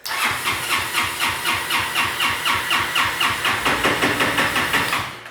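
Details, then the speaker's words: Honda Helix scooter crank-no-start: starter cranks steadily about four pulses a second for five seconds without firing, even with a new spark plug; spark present, so suspect the carburettor's electric wax bi-starter (choke). "guess we have another issue. It's not only spark. The carb has something that is called a bi-starter, which is basically the choke, but it works a little bit differently."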